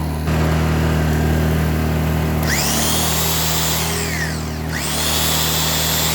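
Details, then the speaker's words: Blackridge 800 W inverter generator, about 2014 model, sat unused in a shed: steady hum that sags and climbs back, hunting for speed while running a load; engine surging, owner suspects a fuel issue. "okay so obviously get some kind of fuel issue going on"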